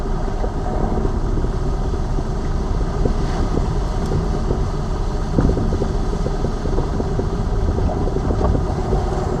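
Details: Lada Vesta Cross over bumps after dealer warranty replacement of front shock absorbers/struts (right SAAZ shock); recorder plus cabin phone; road rumble, soft thumps, no metallic front strut knock; knocks gone after replacement.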